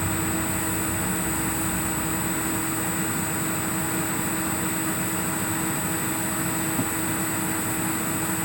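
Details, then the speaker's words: Rebuilt 2005 Tesco iQon PC: a thin electrical coil whine from the graphics card under load over fan hiss. It grows as the card draws more power and follows what is being rendered on screen. "So, the more rendering it's doing and the the harder it's pushing, the more electricity it draws, the more it makes a sound. This is really interesting. You can you can kind of hear it matching to what it's uh rendering on screen."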